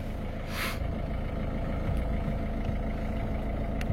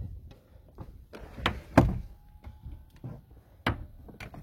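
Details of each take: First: Engine idling with a loose, uneven low rattle under the rumble: dual-mass flywheel developing play, expected to break; to be replaced with solid flywheel and clutch. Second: Engine on a car with an original dual-mass flywheel that has been noisy for years: steady low idle with no rattle while the clutch pedal is pressed; the flywheel noise is absent with the clutch held down.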